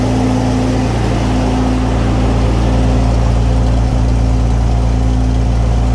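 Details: Restored Centurion tank main engine start, not on original fuel tanks, oil pressure good and climbing: deep, steady fast idle with an even beat of about three or four per second and no knocks; healthy.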